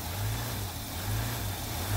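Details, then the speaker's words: 2005 Hyundai Santa Fe 2.7 V6 (SM) after fuel system repair: erratic idle rising and sagging unevenly, settling down; owner suspects an air leak from a pipe not fitted right, or bad fuel as tank is very low. "now i'm not sure what this erratic idling is all about could be i've got a bit of an air leak i haven't quite got a pipe on right still but it seems to settle herself down"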